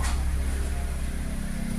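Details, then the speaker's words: Suzuki Ertiga, AC not working because a mouldy fuse-box connector was poorly connected; engine idling stable at 900 rpm and AC cold: steady even low hum, compressor engaged and running normally. "Jalan sepertinya jalan ini dingin ya rpm-nya juga udah udah mau stabil Ya stabil di 900"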